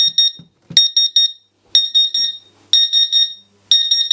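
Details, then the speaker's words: CW-3000 industrial water chiller for a laser cutter, drained and plugged in: high chirping beeps in clusters of three or four about once a second, no display, pump not running; flow alarm, owner suspects failed internal power supply. "we've got an alarm condition that's fine and dandy no display pump's not running yeah so it's partially working"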